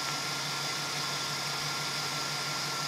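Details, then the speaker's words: 2009 GMC Savana G3500, engine idling, listening with a stethoscope-style tool: idler pulley gives a steady, smooth hiss with soft hum, unlike the rough-sounding suspected alternator, so the idler bearing is fine. "Yeah, that sounds smooth. That one sounds very smooth."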